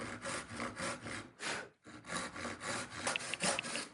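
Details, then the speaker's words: Irwin tenon saw after sharpening: crisp, regular rasping strokes about twice a second, much easier to start and cutting a lot quicker than before sharpening. "But no, much easier to sharp to to start it. Much much easier."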